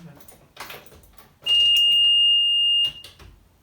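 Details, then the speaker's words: 2000 Sea-Doo Speedster with rebuilt Mercury 2.5 V6 210 HP sport jet, key on: single high steady beep about 1.5 seconds; owner believes it is the low-fuel alarm. "And then I had an alarm after a while, just turned the key. And I looked that up and it sounds like that's just a low fuel alarm."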